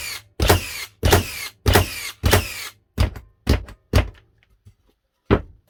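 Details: Second-gen Hikoki NR1890DCA cordless first-fix nailer in bump mode on a 2Ah battery: seven sharp, solid shots about twice a second, then a final one, no misfires; firing properly.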